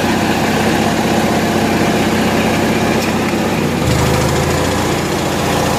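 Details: Generator on 1963 GM PD41106 bus conversion running air conditioning: steady even drone settling slightly lower as load comes on near four seconds; runs healthy under load.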